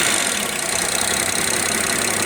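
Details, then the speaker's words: Rough, uneven idle on a BMW X6 E71 with N54 petrol engine after earlier boost problem fixed; slightly hissy clatter, rpm hunting up and down; injector number two found leaking, with injector fault codes stored. "okay guys you guys can pretty much see what we're discovering here which is a leaking injector number two"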